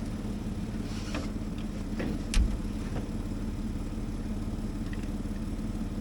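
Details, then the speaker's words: CAT D7H Series 2 dozer diesel, long idle and cold at about −2°, after charging the battery and getting fuel to the cylinders: low uneven chugging with scattered knocks on starting fluid, never settling; hard cold start. "So, as you could hear there, we finally got fuel up into the cylinders. It's trying to start now. So, hopefully we can get this started with a little bit of starting fluid and see how it goes."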